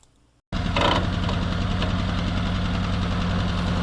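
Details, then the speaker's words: 1952 Willys M38A1 Jeep on first full test run after carburetor rebuild: engine fires and settles into a steady but slightly high, busy idle; fast idle, idle screw to be turned down. "It's idling a little fast with the rebuilt carb, so we're gonna, I like to get in there and turn it down a little bit."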